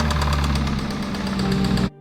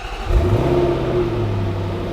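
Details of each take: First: 2021 Range Rover SVR V8, used replacement engine bought for the salvage rebuild; rough running with a fast, steady metallic tapping over the low rumble: bottom end gone, rod knock from worn rod bearings. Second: 2021 Range Rover SVR, salvage rebuild after an engine failure, starting before a drive to the Sahara: engine fires and settles into a steady, even low rumble with a smooth rise, no knocks or rattles; runs normally, only the tire-pressure warning is on.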